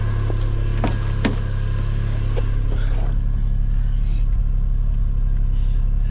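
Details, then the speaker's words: Imported 1993 Suzuki Cappuccino after an HKS intake install and recirculation valve delete, which loses idle air control; with the AC off it idles high, around 1200 rpm, a steady slightly fast drone with no dip or hunt. "so uh you hear it sounds like it's idling a little high because it is an AC in this car and it works and I wanted to retain that so the sacrifice being with the AC off uh the idle's got to sit up a little higher for example"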